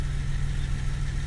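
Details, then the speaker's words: Reinstalled 2000 Camaro 3.8L V6 at idle: steady low idle with fast light tapping; owner rules out lifter tick since it fades at high RPM with good oil pressure, suspects a damaged front crank pulley; not confirmed. "it's not the valve train that was the first thing I thought lifter tick but since it goes away with a high RPM I don't think it's that and I have consistently good oil pressure"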